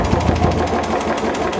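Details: Royal Enfield Bullet single-cylinder idling with a loud, busy mechanical tapping over the low exhaust thump; engine tapping noise, cause suspected, not confirmed.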